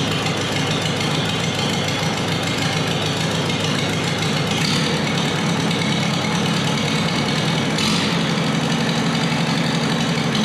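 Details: Multi-cylinder engine after replacing faulty spark plug wires, plugs in cylinders one and two probably wet: a loud, steady idle with an even, unbroken beat and no stumbling or missing, running cleanly on all cylinders; normal idle.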